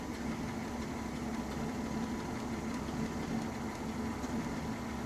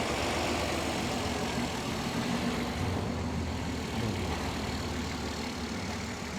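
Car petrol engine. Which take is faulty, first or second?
first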